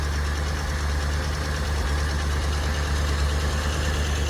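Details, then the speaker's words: Dodge Challenger V8 with a carburettor choke, started only every couple of months, now warmed up after a choked cold start. It holds a steady, deep, even burble at idle with no misses or knocks, and the transmission shifts fine: healthy. "yeah so that's it runs pretty good no issues with that"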